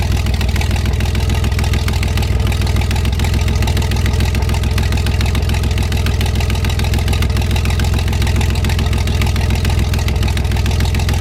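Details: 1973 GMC 432 cu in V6, first run after about 5 years sitting: steady, even low rumble with a constant beat and no misses or knocks; no smoke once warmed up; normal idle.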